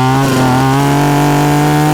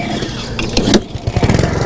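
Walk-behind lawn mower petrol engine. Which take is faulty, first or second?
second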